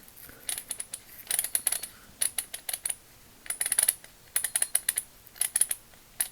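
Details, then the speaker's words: Vintage Proto 5247 3/8-inch drive ratchet adapter after teardown and reassembly: uneven sloppy clicking, still ratchets but won't hold torque, likely a bent pin, irregular ratchet clicking. "surprisingly it's still ratcheting but it's not going to hold any torque you hear how that sounds very not so good"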